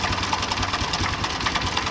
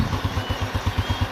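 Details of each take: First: Honda Revo Absolute with top engine cover open, before repair: fast metallic clatter constant at idle from a visibly very slack cam chain. Loose cam chain rattle. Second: Honda Revo Absolute engine after overhaul for cam chain and piston noise, oil flow checked: even, steady low thump at about five beats a second with no ticking or chain rattle; clean, healthy idle.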